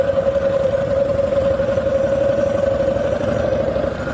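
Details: 1985 Harley-Davidson FXSB V-twin, stock chain primary, uneven rough knocking at low rpm over a steady drone, only when hot and getting worse; oils changed and looked fine, source not found.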